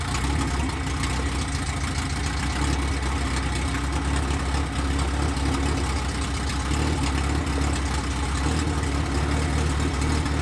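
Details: 1993 Honda Civic EG hatch, built LS VTEC (Manley rods, CP forged pistons, CSS, built B16 head, GSR cams, stock injectors, no turbo) on first start, open header, no throttle cable: loud, steady, even idle with no misses or stumbles; running smooth.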